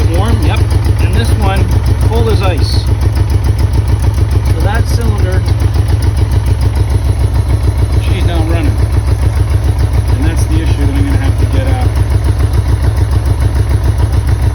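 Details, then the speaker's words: 1984 Honda Goldwing Aspencade, off the road since about 2016, cold start on choke in neutral, modified loud exhaust: lumpy uneven idle beat, running on three cylinders and smoking; cause not yet known. "now you had a chance to see it running definitely on three cylinders as you can hear"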